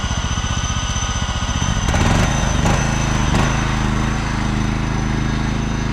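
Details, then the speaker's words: John Deere LX186 riding mower, 17 hp Kawasaki engine with hydrostatic drive, test drive: small engine chugs steadily under load, drive engages smoothly with no whine in reverse, a sign the hydro is not weak; runs and drives healthy. "Well, it actually runs and drives pretty Good. I was testing the reverse."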